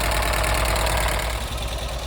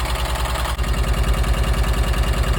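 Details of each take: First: 1983 VW T3 Vanagon first start after broken head-stud removal and head seal replacement: fast even clicky top-end clatter over low idle; owner suspects hydraulic tappets still building oil pressure, not confirmed. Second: 1983 VW T3 Vanagon engine after head-stud replacement and head seal work, still warming up: even, steady low thrum at about three pulses a second, no skips or clatter; firing on all cylinders, normal idle.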